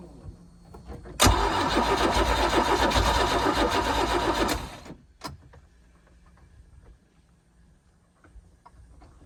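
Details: Mercruiser 4.3 boat engine after a starter swap and priming: starter cranks steadily at a fast, even rhythm for about 3.5 seconds, then stops without the engine catching; the owner suspects heat soak after two good runs.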